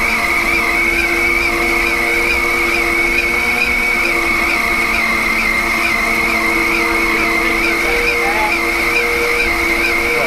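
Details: Large lathe machining a 10-inch vertical gearbox output shaft of 4140 heat-treated, quenched and tempered steel: steady high ringing over a dense cutting roar that never eases, machine heavily loaded on a heavy cut; operator backs off the feed.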